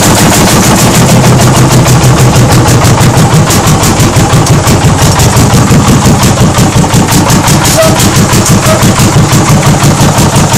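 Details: 1940 Lanz Bulldog single-cylinder hot-bulb engine at its first start after 40 years: loud, even thumping with evenly spaced, unbroken beats throughout, running steadily and healthily; normal running.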